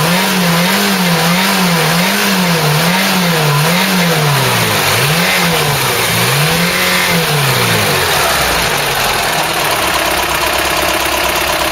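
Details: Ford Cortina GXL after running gear rebuild and alternator brush pack replacement, flat battery, air filter fitted: high-rev test, revs rise and fall smoothly without knocks or misses, then settle to idle; sounds healthy.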